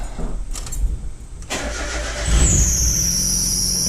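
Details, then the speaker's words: 1996 Mazda Miata on its stock ECU, cold start after sitting 10–12 days: starter cranks, engine catches, then a thin high squeal over idle slowly drops in pitch; slipping drive belt. "Little belt squeal. The car has been down for about 10 to 12 days working on this so far, so she's not too happy."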